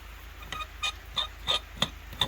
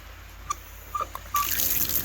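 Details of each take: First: Frost-proof hose bib on a 3/4-inch line, water turned on: about nine sharp pops, roughly three a second, then water rushes through; owner suspects the valve is sticking in its seat. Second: Frost-proof hose bib after its cap was reinstalled: a few drips, then a steady, even rush of water with no hiss or sputter; no leak and it shuts off.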